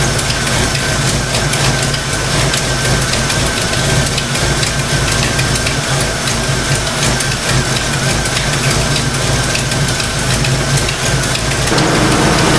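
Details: Fox Mustang V8 at idle after thermostat install: fast, light clacking over the rumble from the valvetrain; owner suspects stock rockers; valvetrain ticking.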